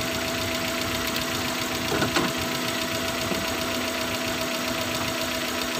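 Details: Suzuki Futura injection van idling rough: uneven idle with a loose knocking stumble over a steady drone; misfiring and shaking despite new spark plug and swapped coils, cause not yet found before a full cleaning.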